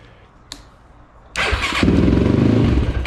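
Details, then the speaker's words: Yamaha YFZ450, second start on the new battery: starter catches at once and the single settles into a steady, even idle; healthy start, owner believes the old battery's cranking amps were gone, or possibly the starter post. "Yeah. You see? So, I think it was just the battery to be honest."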